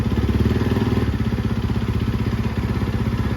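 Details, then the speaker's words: 2013 Yamaha YZ450F after rebuild, in first gear with Rekluse auto clutch: single-cylinder thumps evenly about three beats a second, steadying as light throttle engages the clutch; normal auto clutch engagement. "That's that Recluse clutch that I put in there."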